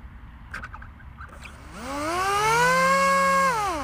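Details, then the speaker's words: Dal Fold F7 seven-inch folding prop on AR wing, 3S battery, after rotating prop on shaft to balance: motor spins up to a clean steady whine and winds down with no buzz or shake; smooth, only dynamic balancing still needed. "that's much better okay so just need a dynamic balancing"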